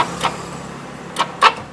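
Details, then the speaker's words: Honda Scoopy scooter with battery reading fully charged, starter motor and bendix reported fine: key on, starter only clicks sharply and won't crank the engine. "Nah, dinamonya hanya bunyi seperti itu. Hanya cetik-cetik-cetik."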